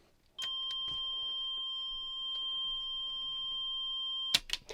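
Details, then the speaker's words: Hitachi TRK-8000E radio cassette mechanism, after the leaf switch blades were gently bent: clean, steady high continuity beep unbroken for about four seconds on play; switch contact now closing solidly, play should work. "so this if we get a beep now this tells us that play is going to work when we actually put it back together"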